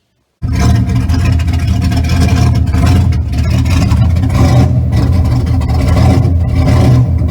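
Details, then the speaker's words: Car after alternator replacement, which also cured a squeak: engine runs steady and even with a deep smooth hum and no belt squeal; charging system and belt sound healthy. "that also solve the squeaky stealth problem"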